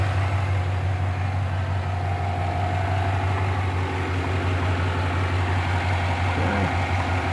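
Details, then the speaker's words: 2009 Chevy Silverado 1500 V8 idling after under-torqued spark plugs were tightened to cure dancing plugs; steady even idle, smooth low burble, no misses or ticking, plugs not moving: normal idle. "all right nice and steady doesn't look like any of them are moving let's check the other"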